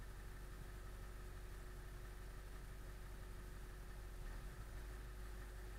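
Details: 1999 Ford F350 Powerstroke diesel, cold start after replacing ICP sensor: steady low idle with one brief stumble near four and a half seconds; hiccup at idle unchanged by ICP swap, cause not found; rough idle hiccup.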